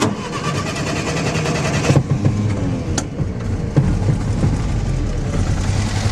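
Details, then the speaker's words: Old Jeep converted to 12 volt, sat with old gas: just after start the low exhaust beat stumbles, missing now and then; misfiring and rough idle, owner suspects the carburetor needs rebuilding or a sticking choke. "She's alive, but you can hear she's missing a little bit, and I think the carburetor needs to be gone through. It's almost like the choke sticking. But yeah, she's having a problem idling."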